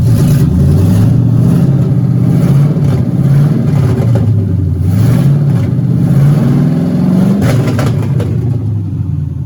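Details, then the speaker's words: LS Camaro first real start after wiring work, fuel pump on, HP Tuners connected: V8 fires and keeps running, revs rise and fall smoothly under blips, no misfire or stumble; normal running. "we're gonna put the fuel pump on and then we'll go try to fire it up it's running it's showing"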